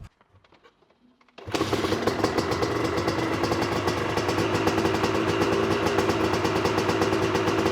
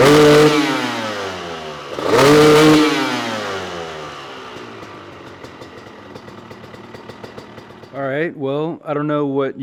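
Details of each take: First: Honda CR250 two-stroke supermoto with a Mikuni carb, revved: a ragged, uneven crackle that won't rev out at 3/4 to full throttle, sputtering rather than a lean bog. Owner is sure the main jet is too large. Rich main jet. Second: Honda CR250 two-stroke supermoto, Mikuni carb after main jet swap to a 400, warmed up and revved half to full throttle: revs climb and fall cleanly, much better on top though still not fully crisp; owner considers an S8 nozzle or 390 jet.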